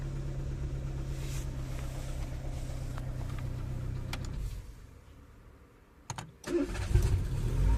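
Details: Renault after fixing steering lock fault DF002 no-start: engine idles evenly, shuts off, cranks briefly and catches at once into steady idle; normal start and idle.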